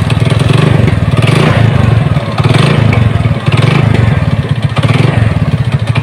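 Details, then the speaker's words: Honda Supra motorcycle with mixed BMC/Honda engine blocks: rough clattery knock in quick uneven beats at low throttle idle, sometimes vanishing with throttle open; caused by a loose nut on the clutch side. "Nah, kalau gas kecil, gas stasioner bunyi ya, bunyi. Tapi kalau keadaan gas kebuka kadang hilang."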